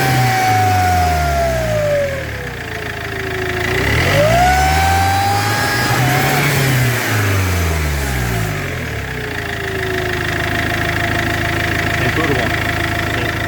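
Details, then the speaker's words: Iveco 2.3 16v diesel running with a wavering whistle rising and falling with revs plus a harsh rubbing edge; the damaged (burst) turbo wheel is hitting its housing wall. "Porque tiene reventado. ¿Sí? Mira, mira, sí, está pegando contra la pared."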